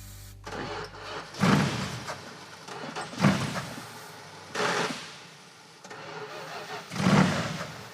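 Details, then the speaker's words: Roadkill Pro Street car, started on starting fluid: the engine catches in short bursts while cranking and dies each time the starter is released, as the ignition cuts out. The ballast resistor was found disconnected; once reconnected, it idles. "does sound like the ignition shuts off. Where's the ballast resistor? Aha, that's why. That's disconnected."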